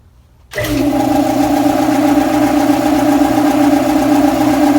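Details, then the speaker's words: Air compressor starting up: sluggish start with a faint labouring edge, then settles into a steady hum; owner attributes it to low drive belt tension, with the belt slipping until the flywheel gets up to speed. "I know it's belt tension related and it takes a little bit for the you know the momentum of the flywheel to get up to speed to get it to where the belt will stop slipping on it"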